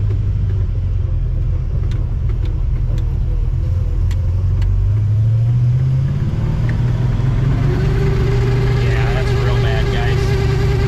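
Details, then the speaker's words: '55 Chevy Bel Air hardtop driving down the street. Steady low road rumble, then a thin constant whine rising out of it from the speedometer cable/head. Bad bearing that was never rebuilt; cable to be disconnected. "that's what a bad bearing sounds like in a speedo cable so we'll uh disconnect that right when we get home"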